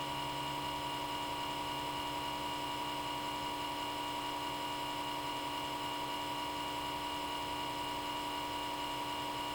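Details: Comcast Xfinity X1 DVR cable box, small-diameter left-side cooling fan running at constant high speed from power-on, even when box is off until unplugged: steady piercing electronic whine with low hum beneath.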